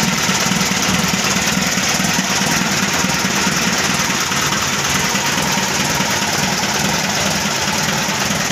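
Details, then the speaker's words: Mitsubishi Colt Diesel FE 1981 truck, new direct-injection 100PS block (formerly indirect, no glow heater now), freshly started: even diesel clatter at steady idle, no misses or hunting, described as smooth; slight hose leak remedied by tightening the hose clamp. "suaranya halus itu ada bocor tipisnya magnet tiketnya Kencangkan di bagian klem slang nya"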